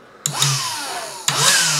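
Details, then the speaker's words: Black and Decker handheld vacuum that stopped working and charging, run from bench power supply: motor spins up twice to a clean steady whine, no grinding; motor, batteries and charge controller fine. "you can hear it that sounds how it should sound sounds perfect it's drawing a decent amount of current from the power supply and it's charging the batteries"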